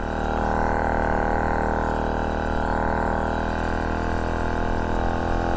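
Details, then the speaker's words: Vespa Ciao moped with a new engine, on the first ride with a new exhaust pipe: a steady buzzing two-stroke drone holds one pitch and never climbs into the power band, and it runs slow. The owner suspects the jets are too big and it is four-stroking. "so it sounds like the jets almost too big just kind of four stroking but yeah that's what's happening because it doesn't feel like it's getting into the power b"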